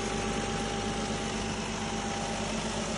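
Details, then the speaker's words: Nissan Skyline HNV37 VQ35HR V6 engine test: quiet steady idle, faint even hum, no ticking, knocking or whine; runs smoothly without extraneous noise, healthy engine. "Работает ровно, без посторонних шумов."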